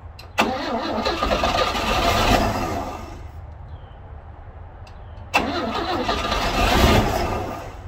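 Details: 1960 Grumman Olson Kurbside step van, 235 engine unstarted since 1992, cold (30s°F), external fuel tank plus starting fluid: two long cranking bursts rise and fade without catching; owner thinks it flooded, and one spark plug wire was left off.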